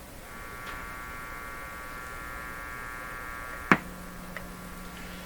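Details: Mains hum on a GE Model 913-D clock radio after a sharp click: steady low buzz with fainter higher whine before it; cause suspected, not confirmed.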